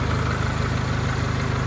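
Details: Honda at operating temperature after a valve job and rockers done on the bench: even, steady idle with no tapping or clatter from the top end; valvetrain quiet and healthy.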